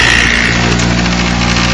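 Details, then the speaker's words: Hallowell Acadia heat pump during fall preventive maintenance, primary one compressor contactor pushed in manually; steady low even hum with slight shake from unit mounted on top, normal compressor start. "okay primary one contactor fires right up all set no problem there"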